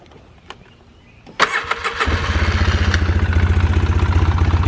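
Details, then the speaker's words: 2005 Polaris Sportsman 700 after exhaust repair and new springs: starts after a few cranks into a lumpy, uneven idle about four beats per second with a chatter. Still running rough; exhaust repair did not fix it. "as you can tell it's still running rough so that did not fix our problem sadly and uh listen to that i don't know if you guys hear that chatter but i don't like the sound of that at all"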